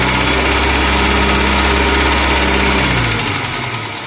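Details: Moskvich 2140 engine at idle with an even knock of around three per second that fades as the engine shuts down; cause of the knock unknown.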